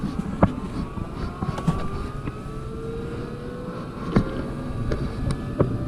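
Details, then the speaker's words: Carrier Infinity propane backup furnace, call for gas heat: inducer whine keeps climbing in pitch with scattered clicks, ramping far higher than usual; pressure switch not closing, flash code 32, birds blocking flue pipe. "that thing's ramping way higher than they usually do I think one of these pressure switches are not closing"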